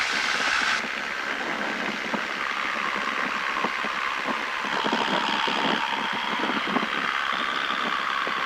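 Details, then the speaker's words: Cessna 172 in flight, heard in the cabin at about 2100 rpm: the steady engine drone shifts pitch as the mixture is leaned, and rpm drops as the engine runs too lean. "There it goes. See the RPMs drop? Yeah, you can kind of hear it too."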